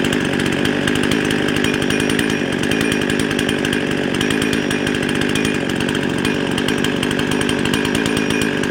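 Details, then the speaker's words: Husqvarna 55 chainsaw that bogged when cutting but ran hot and fast: it screams at a steady, too-high idle. It runs lean from an air leak at the carburetor gasket. "oh sounds like she's running a little bit fast let's get attack on there"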